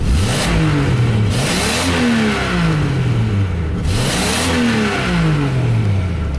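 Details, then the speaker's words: 1993 Jeep Grand Cherokee 4.0 six-cylinder, 186,602 miles, at operating temperature about 210, 45 psi oil pressure at idle: crisp free revs climbing and dropping cleanly to steady, even idle, no knocks or misses; responsive, healthy engine. "As you can hear, very responsive, runs excellent, idles the way it should. Just a great running engine."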